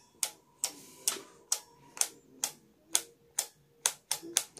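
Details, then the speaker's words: Honda Blade motorcycle, anti-flicker relay just wired in, with the headlight switched on: crisp, sharp clicks about twice a second with quiet between them; the relay is switching cleanly and working normally. "jadi tinggal dengar bisa dengar ya nanti relaynya bekerja"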